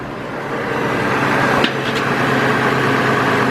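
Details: 2002 GMC Envoy petrol engine idling rough with no power after an alternator replacement, check engine light on, P0303 cylinder 3 misfire; low uneven hum that never settles, engine visibly shaking; ignition coil replacement shown.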